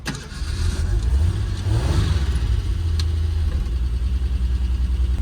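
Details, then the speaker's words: 1976 Ford Pinto, carb just fitted with sawn-down part, test driving around lot: low drone that sags and falters under throttle instead of pulling; engine stumbling and dying, cause not yet found. "So it just starts to die."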